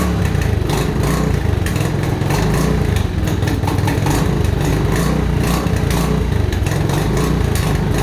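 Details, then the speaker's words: Mojave 250 single-cylinder, year unknown, running after timing chain replacement (old chain loose, kept jumping time): uneven putter with pops, backfiring and heavy exhaust smoke; owner suspects it still isn't in time. "a down bag is good smoking a lot off that exhaust it doesn't sound like it's in time right see it backfiring"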